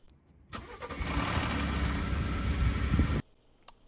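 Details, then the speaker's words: Ford F150 V6 start-up: brief metallic rattle over cranking and first seconds of running; cam phaser rattle suspected, cam phasers, timing chains and tensioners to be replaced. "there was obviously a rattle when it started according to the comments section you all heard it too"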